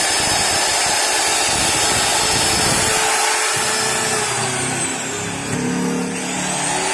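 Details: Modern M2600 circular saw bought broken, after new carbon brushes and armature: steady high-pitched motor whir at constant speed, smooth with no grinding or sparking crackle; free-running normally.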